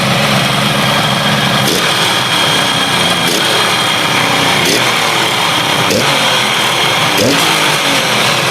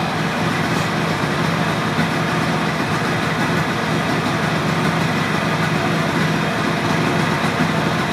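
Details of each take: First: Motorcycle stored 32 years, cold engine just started after fixing fuel tap and carburetor leaks, oil visible at the exhaust. Runs rough and uneven, stumbling and dropping out about every second instead of holding a steady beat. Engine misfire. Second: Engine of a motorcycle left sitting 32 years, carburetor and fuel tap leaks fixed: steady, even hum with no misses or stumbles, holding a settled idle; runs smoothly.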